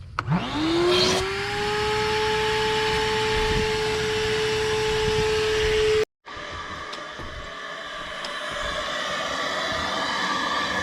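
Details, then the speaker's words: Home central air conditioner, condensate drain line cut just past the trap with some algae inside: vacuum whine spins up and holds, then hollow gurgling suction pulls through the drain line; line is clear and flowing. "Okay, so you can hear that drain line sucking."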